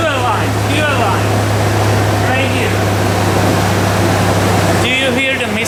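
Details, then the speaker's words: Engine just after head gasket repair, number three cylinder had coolant and misfired before: firm, even idle with a smooth steady hum and no stumble; some white smoke still expected from coolant in exhaust; normal idle. "obviously the idle is very good that's fantastic"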